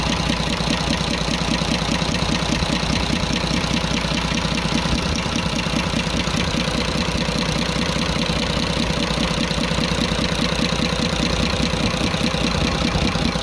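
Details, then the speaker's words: Cummins 340 24-valve heavy-duty truck diesel that suddenly became noisy, smoking from the exhaust and losing pulling power, idling with the tappet cover off: fast, regular light tappet ticking over the idle rumble, loudest at cylinder one; loose valve clearance suspected, rockers to be checked. "और यहां पर आप गौर करें एक number की तरफ से ज्यादा आवाज सुनाई दे रही है"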